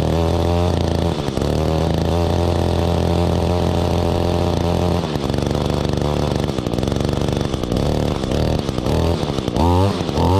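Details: 2016 Echo GT-225 curved-shaft trimmer, 21.2cc two-stroke, just started after choke and primer: settles to a steady buzzing idle, then blips up crisply and returns cleanly without stumbling; the engine runs healthy.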